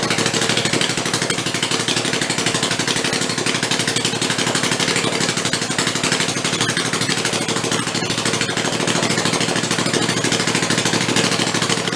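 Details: Rebuilt Kohler Command 20 hp engine, revived after a thrown rod and flood damage, 150 psi compression, refueled and run on the bench: fast, even clatter at steady speed, no misses; normal running.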